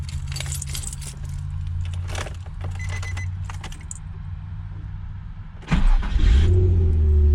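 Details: Nissan 350Z after replacing the starter (previously no crank, starter not engaging): keys jingle, the engine catches at once and settles into a steady low idle; starts cleanly, the starter was the fault.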